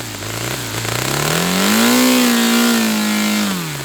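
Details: Saito FA-300T twin-cylinder glow engine on a customer run, with a sticky, hard-to-set throttle linkage. A clean buzz swells smoothly up in pitch and settles back without stumbling or misfire. Running well: healthy running.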